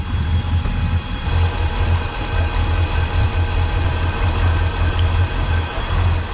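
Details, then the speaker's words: Volvo Penta 8.1 GI (496) marine engine shaking at idle and reaching only about 2800 RPM, heard with an ear at the exhaust manifold/riser: deep, uneven, lumpy idle with no contribution from one cylinder; dead cylinder misfire. Spark ruled out, plug to be pulled. "There's no difference on this cylinder. Nothing. Nobody's home."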